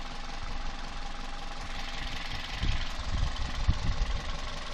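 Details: Toyota 1ZZ-FE engine at idle: irregular low thuds that cluster and grow heavier midway; an internal engine knock, source not identified.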